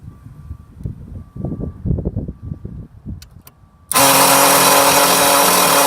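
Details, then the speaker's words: Onan 4000 generator: after handling thumps, a sudden loud, harsh grinding roar holds steady while cranking; battery terminals were cleaned and a loose connection tightened, but the same grinding remains. "this was a little loose up here I tightened it it looks crappy now she's got a read tape it but I still get the same horrible sound"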